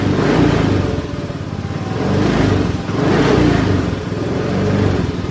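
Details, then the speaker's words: Honda Scoopy ESP scooter after idling stop, restarted by twisting the throttle without the starter button: small engine swells and drops through several throttle blips, even firing with no rattles or misfires; healthy engine, fault was only the ISS switch. "untuk menghidupkan lagi motornya tidak usah ditekan tombol starter cuma di putar tuas gasnya seperti ini dia sudah hidup"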